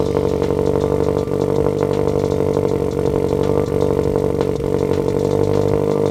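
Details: Turbo Subaru BRZ on first start, temporary non-permanent setup, restarted after smoke from burnt oil on the turbo blanket and a spilled oil feed, with a coolant puddle under it. Uneven, lumpy idle with irregular ticks. It runs rough; a custom tune is expected to fix it.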